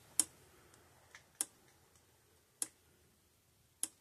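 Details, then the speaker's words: 30+-year-old Speedrite SM 5800 fence charger (5.8 joule) after repair of bad old capacitors: crisp, evenly spaced single clicks about every 1.2 seconds in a quiet room, the light flashing with each click. Pulsing normally. "camera is not picking it up but it's flashing every single time it clicks same with down there this one's clicking flashing"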